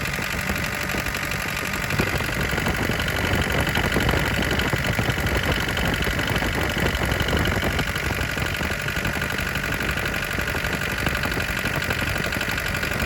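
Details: 1981 Isuzu Pup diesel C223, after sitting 4 hours, hard start: idle clatter, about four knocks a second with an uneven hunting beat; air bubbles seen between fuel filter and injection pump, owner unsure if that is the cause.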